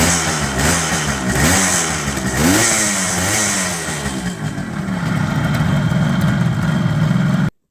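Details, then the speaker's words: 1978 Kawasaki KH400 two-stroke triple after long storage, after the carbs were done: crisp, busy burble settling into an even beat, now running on all three cylinders; normal idle. "sounds good oh sounds good yeah I think I think it is and now it's running on three"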